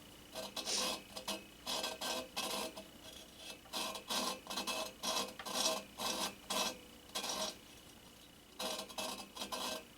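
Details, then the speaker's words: 1974 VW Super Beetle cylinder head, valve being lapped by hand with grinding compound: short gritty rasping strokes, about one a second, on a seat not yet finished. "we're going to be in this guy right here so you hear how it's grinding in there"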